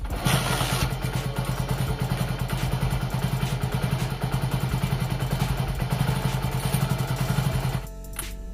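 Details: Hero BS6 HF Deluxe motorcycle, unused four months and brought in for not starting, after checking the fuel pump delivers fuel: small single settles into an even, steady thumping idle under background music, then cuts off cleanly; starts and idles normally.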